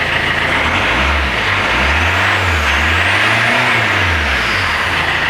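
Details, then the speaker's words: Citroën C5 diesel after refitting the exhaust, with the silencer washed with water: throttle blips swell and settle evenly with no leaky exhaust chuff; the connections are sealed and it revs normally. "Bien. Bon. On n'est plus en échappement libre. Donc tous mes raccords sont corrects."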